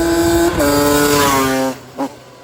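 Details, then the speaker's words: 2003 Yamaha Banshee 350 limited edition two-stroke after opening the air screw back out: the earlier raspiness is gone, and revs climb and drop smoothly, sounding clear and properly tuned. "you can definitely hear the difference before they had like a little bit of rash to it now it sounds like it opened up a little bit more"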